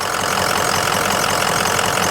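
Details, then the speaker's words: 2004 Ford Excursion Limited 6.0L Powerstroke diesel 4WD with head studs, 186k miles, recorded under the hood at idle; steady, even diesel clatter with a little belt squeak from detailing spray, no puffing, misses or blow-by; normal healthy idle. "It's got a little squeak from the belt. That's because it's been detailed. My detail guy put some kind of spray on it. No blow by."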